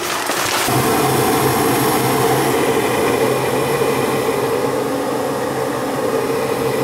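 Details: Gas furnace after exhaust fan (inducer) assembly replacement and flame sensor cleaning; steady, even fan rush with a constant low hum and no knocking or scraping. Normal furnace operation.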